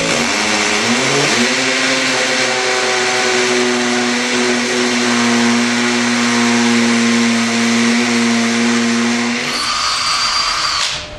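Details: Ryobi combi drill on hammer setting, speed two, highest torque setting 24, drilling about 25 mm into an old concrete paving slab: steady high motor whine with fast rattling hammer buzz, running evenly; hammer action working normally.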